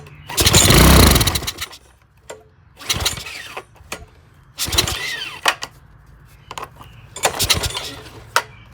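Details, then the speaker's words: Old Briggs 6 hp Craftsman push mower engine on ether: short firing bursts with sharp pops that die between attempts; backfires through the intake and won't keep running. "She's backfiring out of there a little bit."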